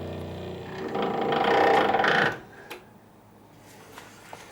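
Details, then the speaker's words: 1985 Ferrari Mondial QV left pop-up headlight motor, lights working: strained labouring whirr with fast rhythmic chatter for two seconds then cuts out; underperforms under load, motor failing internally, replacement planned. "All the lights are working now, everything's good, but yeah, I'm getting that same symptom. One comes up and then same issue."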